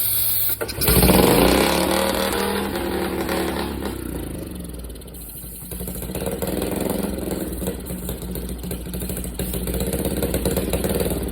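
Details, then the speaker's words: Barn-find single-cylinder four-wheeler, no air filter, dirt from carb area not smoke: catches after a start burst, then surges and stumbles unevenly without a steady beat; runs rough, needs carb tuning and tank cleaning. "I think that's just dirt coming out of it not uh smoke it don't run great though have to do some tuning on it"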